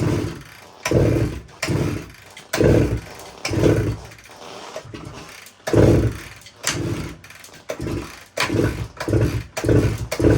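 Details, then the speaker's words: 1972 Suzuki TS185 kicked over repeatedly, even with fuel poured down the spark plug hole: brief chugging whooshes with no catch; cranks but won't start, owner suspects compression too low to fire. "so she just doesn't want to fire up even with gas down the cylinder I'm really thinking that it's just got such a low compression that it can't can't fire up"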